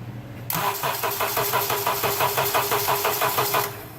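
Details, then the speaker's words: 2005 Honda Accord 2.4-liter 4-cylinder, hard-starting complaint, battery recently replaced, during voltage drop testing with plenum removed: steady slightly sluggish cranking about three turns a second, less slow than before; failing starter. "In the time it's taken me to take that plenum off, it doesn't actually sound as slow as it did before."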